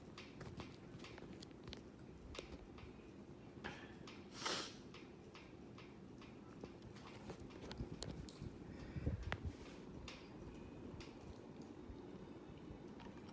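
Soft, steady ticking, a couple of clicks a second, in a quiet room while the fan runs; the cause isn't clear from sound alone.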